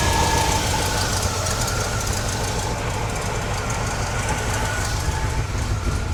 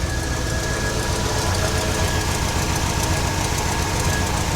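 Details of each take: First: 1969 GMC truck, small-block V8 with a used alternator charging near 13 V: rough, steady idle with a faint constant whine because the alternator belt is cranked too tight; it is then loosened. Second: 1969 GMC truck, small-block V8, restarted after loosening the overtightened alternator belt: even idle with a low, steady rumble and no belt squeal or chatter, running quieter than before.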